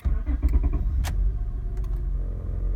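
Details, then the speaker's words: Salvage-auction 2004 Acura TL V6 just started. The engine catches and settles into a smooth, even low rumble with no knocks, misses or rattles. It runs well: a normal idle. "Runs, and it runs good."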